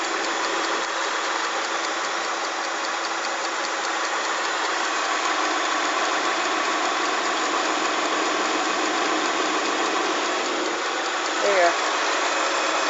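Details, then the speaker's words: 2005 Kia Sorento V6, not from cold; light, quick ticking of about three to four a second over a smooth idle, source unknown, owner suspects the alternator; ticking noise at idle. "I don't have a fa clue what it is if you know let me know listen I don't know where it's coming from I think it's coming from in here somewhere I think it's probably the alternator"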